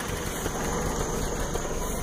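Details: Toyota truck after new timing chain, oil pump, water pump and exhaust work: low, uneven idle that sags and wavers, struggling near stalling before being shut off; rough idle, cause not evident.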